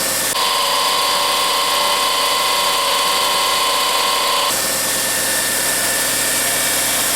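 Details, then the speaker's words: 2004 Honda Civic LX 1.7L idling after alternator replacement with belt tension checked; the earlier growl from down low is gone, leaving a steady, even, quiet idle. "oh yeah he's a quiet one now do more of that growling coming from down there"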